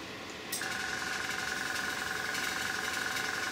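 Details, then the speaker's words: Small airbrush air compressor with a tank; steady, fast pulsing chug and constant hum as it recharges its tank normally. "my compressor as a tank so it's just kept in now and it's going to recharge itself so the ones without the tanks they can keep running for about 15 minutes continuously then you need to give them a rest otherwise they get hot"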